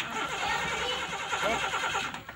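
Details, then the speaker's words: Suzuki Carry Extra running on LPG gas: steady starter cranking, the engine turning over evenly but never firing; hard starting, with unstable ignition spark later suspected but not confirmed. "Ini terjadi susah hidup lur ya. Terjadi susah hidup."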